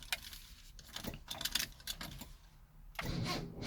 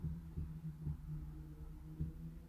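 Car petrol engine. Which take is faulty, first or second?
first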